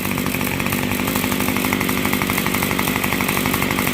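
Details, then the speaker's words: Yard Machines Y2510 string trimmer after a repair with fuel lines and the throttle cable reconnected, warmed up: it holds a fast, steady high-pitched buzz with a slight flutter at full throttle. It runs well but the top end needs slight adjustment. "So you hear it's running good. It just needs a little on the top end."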